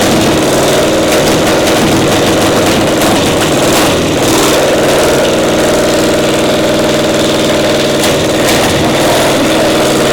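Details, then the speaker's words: Caterpillar Diesel 70 twin pony motor, round 4 start: loping, uneven beat, one cylinder only catching now and then; acts like a spark plug, misfire traced to bad magneto cap. "Acts like a spark plug, don't it? It does, in a way. It does, yeah."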